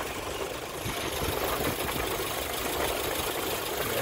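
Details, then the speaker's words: 1996 Geo Tracker idling after the old free-spinning radiator fan clutch was replaced to cure overheating at idle: even idle with a strong steady rush of fan air, no surging or knocking; fixed, blowing twice as much air. "oh it's fixed just blowing twice as much air at idle twice as much air"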